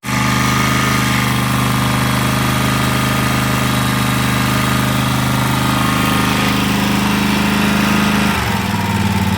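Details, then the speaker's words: 2011 Land Pride zero-turn mower after sitting several years, new battery and fuel filter, choke cable still stuck: small engine holds a steady, even idle on its own, dipping near the end; running, smoky, probably needs a carb clean. "well guys it's uh it's running uh new battery in it and I put a new fuel filter in it"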